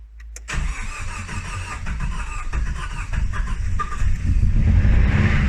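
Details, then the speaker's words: Nissan S13 200SX CA18DET first start after head gasket replacement (done for steam from exhaust): cranks, catches, then uneven lumpy idle with a stumbling beat, sounds like only three cylinders running; misfire from spark plugs left loose. "i heard something wasn't happy though so it sounds like she's only running on three cylinders"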